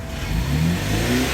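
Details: BMW 3 Series that was cranking but not starting, after ECU repair, key start in park: engine runs and revs cleanly with steady, full note, no misses or knocks; normal engine running.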